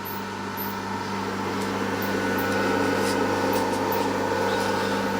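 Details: Mishto 600 W pure sinewave inverter via alligator clips plus 10 A charger, running two antique fridges including a Frigidaire: steady, even hum with constant drone, no knocking or rattle; both compressors running smoothly.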